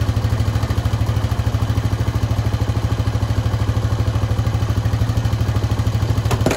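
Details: Honda Foreman 520 ATV after a fuel pump install, just started: steady, even single-cylinder thump at idle, about three beats a second, with no misses or stumbles; healthy, smooth idle.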